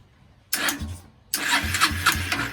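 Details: 2001 Kawasaki Eliminator 125cc, not run in years, new CDI fitted, carburetor partially installed, starter fluid sprayed, no muffler: two short cranking bursts with uneven chuffs that almost fire but don't catch; cranks but does not start.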